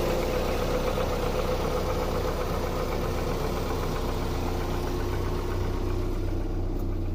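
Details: 2001 Opel Vectra B 1.8 engine: even idle with a dull knock, about four a second, riding over the engine note. Engine knock at idle from inside the engine.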